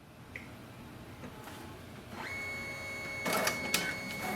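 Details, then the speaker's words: Brother MFC-J4535DW inkjet printer during manual printhead cleaning, copy started to move the carriage before unplugging to unlock printheads: soft whirring and ticking rising to steady high whine and clatter; printhead carriage moving normally. "you hear the sound printhead moving, just unplug the power cable. This will unlock the printheads."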